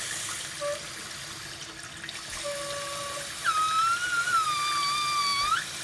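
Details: Kitchen faucet: a thin whistling tone comes and goes with the running water, sliding slightly in pitch; faucet squeal, cause not yet known.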